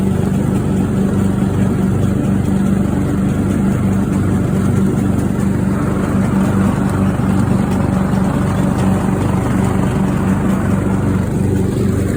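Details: Craftsman riding mower engine that fired but would not run, after a new fuel shutoff solenoid, fuel filter, spark plug and fuel treatment (owner suspected water in the fuel): loud, smooth, even drone at steady speed, no misses, knocks or surging; healthy.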